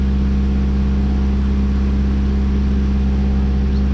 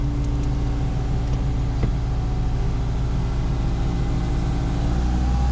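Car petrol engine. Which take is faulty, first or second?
first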